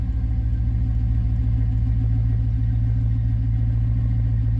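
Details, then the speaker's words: Chevy C10 (1973–87 body) just after start-up with a new Intellitronix digital gauge cluster, cold: deep, even low rumble at about 600 rpm, slightly raised until warm, no knocks or misses; normal cold idle. "running about 600 RPM right now, which is kind of normal. It's idled up just a little bit right now. Once it warms up, it'll idle itself back down a little bit."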